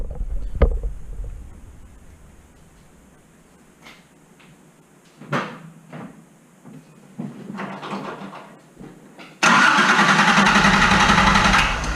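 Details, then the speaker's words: Engine start after replacing the fuel injectors with OEM-spec parts; it catches at once, idles high briefly, then settles into an even idle with no stumble and no fuel leaks; healthy start. "all right the injectors are in and she runs great so cranked right up it idled high for a little bit but then it just kind of scenes itself out"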